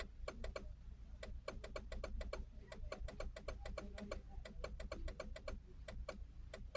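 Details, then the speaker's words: Vehicle with ignition off, sharp dry relay-like clicking in quick runs about six per second with pauses, from up inside dashboard near upper left of steering column; key in or out has no effect, not a mouse, cause unknown. "sounds like a relay it's not a mouse what is it see nothing affects"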